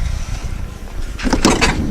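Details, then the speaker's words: Van sliding door rolling shut with harsh scraping screeches and rattly bursts from dirty rails, heard during cleaning and before the rails were greased. "大家可以听到这个刺耳声音啊，受不了！哎呀，我这是一直让我们嘉宾很苦恼的事啊，很脏啊。"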